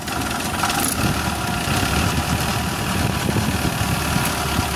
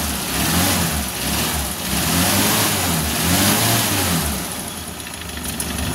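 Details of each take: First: Suzuki Carry 1.0 at idle: rough, loose, uneven clatter over engine note, diesel-like; cause found as worn-out timing cover mount cushion, engine smooth after repair. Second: 1994 Suzuki Carry 1.0, after engine teardown for a harsh knocking idle blamed on a worn timing cover bearing: even smooth idle swelling cleanly on throttle blips, no clatter or knock; repair fixed the noise.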